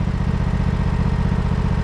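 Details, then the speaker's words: 1968 John Deere 140 garden tractor, first start attempt: steady rapid starter cranking, about twenty beats a second, no firing; crank no start, owner suspects a flooded carburetor. "I bet you we flooded that carburetor."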